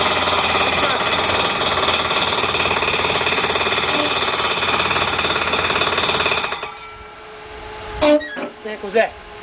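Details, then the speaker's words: 1999 Dodge Dakota Sport 3.9 V6 just after an engine replacement, with motor mounts suspected of sagging. A fast, steady ticking clatter rides over the running engine until shutdown as the fan blade strikes the shroud; fan blade hitting shroud. "let's find out what the heck that noise was dang it the fan still hitting"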